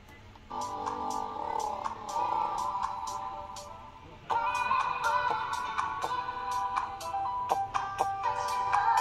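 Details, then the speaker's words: ASUS ROG Strix G531G laptop playing music through its built-in speakers with sharp crackles and pops scattered across the playback, from faulty speakers before replacement. "As you can hear, there's a crackling sound coming out from the laptop."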